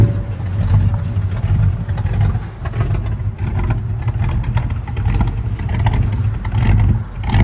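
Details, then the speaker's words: 1968 Ford Fairlane 500 Fastback automatic, sat eight years, first drive around the block, engine running rich: revs climb and hang high with no drop for a gearchange. The transmission won't upshift; owner plans to check the vacuum underneath. "First ride with all the reps to the glass over there. No shift."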